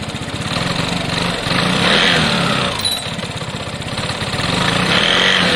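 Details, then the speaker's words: Piaggio Fly scooter, single-cylinder, after reassembly: quick, even putter of about four beats per second, smooth drive and no rattle; running normally, though the throttle cable is still a bit loose. "i'm happy with that"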